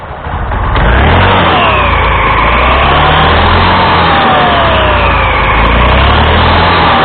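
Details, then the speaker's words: Honda Scoopy (Scoopy Donut) after replacing the damaged front roller housing and drive belt: scooter starts and revs cleanly, smooth rising and falling CVT whine with no slipping, rattle or judder; belt drive sounds healthy. "Sekarang kita akan coba untuk menghidupkannya, untuk melihat fungsinya apakah sudah berfungsi dengan baik."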